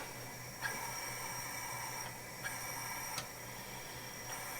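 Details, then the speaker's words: 1977 Dodge Monaco 360 V8 parked since 1989 with a stuck engine, leak-down test, engine not running: steady hiss of air escaping through the carburetor past an unsealed intake valve. "This one's just gonna whistle right through the carburetor. Oh yeah, there's what I expected to hear."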